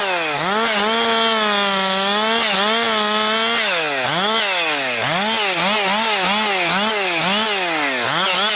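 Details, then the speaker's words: Husqvarna 262XP two-stroke chainsaw after rebuild, several tanks through it and breaking in well, now pushed harder on 4–12 inch pine: crisp buzz dips as it bites and climbs back cleanly. Strong, healthy saw. "Getting it going a little harder, pushing it a little harder because I already have, like I say, quite a few tanks through it here, and it's breaking in pretty good."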